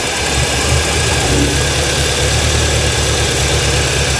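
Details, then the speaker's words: 1989 Winnebago LeSharo RV idling: wandering, slightly unsteady idle with faint hissing; brake cleaner test and cracked hoses found, vacuum leak behind engine expected to fix idle; rough idle from vacuum leak. "all right like we're going to have to take this out cuz there's a vacuum leak back up in behind there so where and I bet that fixes the idle problem"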